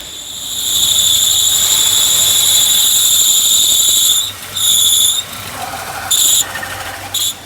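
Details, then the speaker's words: Renault Sandero (Logan/Sandero) with engine running, clutch pedal pressed: loud shrill squeal from the clutch release bearing cutting in and out; car also won't engage gears. "Dá pra ver o rolamento chiando bastante, só que o carro também não tá engatando."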